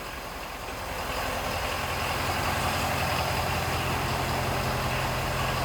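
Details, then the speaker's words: 2017 Ford F-550 Super Duty with 6.7 liter V8 turbo diesel, 40-inch tires, tandem rear axles, started and idling: steady even diesel clatter and smooth low rumble, no misses or knocks. Healthy idle. "powered by the 6.7 liter V8 turbo diesel. I'm going to go ahead and fire it up too so you can hear this thing run."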